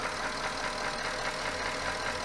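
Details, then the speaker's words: Porsche Cayenne 957 S petrol V8 with scored cylinder, idling 3200 km after Ceratec treatment: slightly less noise overall but dry, light clacking more audible than before, piston slap. "Donc voilà, le moteur fait un tout petit peu moins de bruit. Par contre, je trouve qu'on entend plus le claquement qu'avant."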